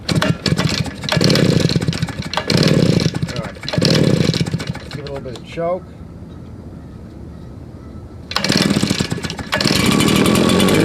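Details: Old RedMax two-stroke leaf blower after carburetor cleaning, tank cleaning and fuel line replacement, run outside: steady buzzing bursts, shuts off cleanly with the stop switch, restarts and holds an even note; runs properly.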